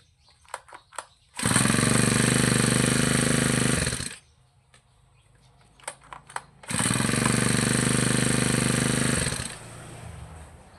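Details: Grass trimmer two-stroke engine after carb cleaning and tuning (fuel screw set back from peak rpm): two crisp full-throttle bursts, each held a couple of seconds, clean and steady with no bogging; engine pulls well.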